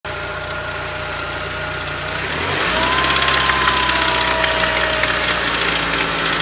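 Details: BMW M43 engine, warm: no knock when cold, but once warmed up a quick, fairly regular knock, roughly four per second, comes in waves after the idle steps up. Intermittent knock, cause unknown.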